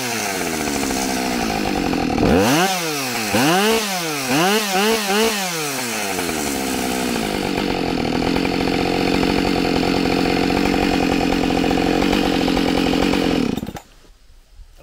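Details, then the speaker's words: Husqvarna 572XP autotune chainsaw, already used for a couple of cuts, cutting punky, rotten downed white pine: revs hunt up and down at the start of the cut while autotune calibrates, then settle into a steady, even bog under load. "you can hear the saw at the beginning it was trying to figure stuff out"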